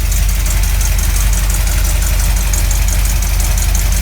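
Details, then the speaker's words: 1983 Camaro Z28 V8 after replacing burnt spark plug wires and setting timing: steady low idle rumble with a fast puffing tick from an exhaust leak still audible; earlier suspected knock no longer heard. "You can still hear the exhaust leaking in here."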